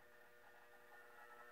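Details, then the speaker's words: 1941 Philco 41-285 console radio brought up slowly on a variac, from about 75 volts and rising, after component work: faint steady fixed-pitch buzz throughout; variac-induced noise expected on the radio during this reduced-voltage power-up. "please remember if I do get sound that this varia puts a lot of noise into the radio so we're likely to hear some buzzing from that"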